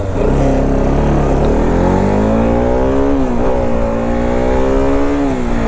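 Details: Modified dual-disc Bajaj RS200 motorcycle for sale, rev test: clean, smooth rev rising and easing back with steady, even note, no knocks or rattles; healthy engine, a faulty speedometer meter noted.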